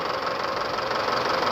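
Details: Isuzu D-Max 4JJ1 2.5 diesel with loose worn engine before overhaul: loose clattery rough idle, heavy crankcase blow-by pushing oil out of filler.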